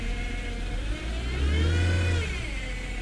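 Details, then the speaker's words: Salvage-auction car put in drive with the e-brake off: engine revs smoothly and falls back with no change in load, and the car won't move; it reverses fine; low transmission fluid is suspected, with a whine heard, not confirmed. "let's put it in gear it seemed a little slow to going here didn't it it doesn't want to move yeah she doesn't want to move in the ebrake is not on"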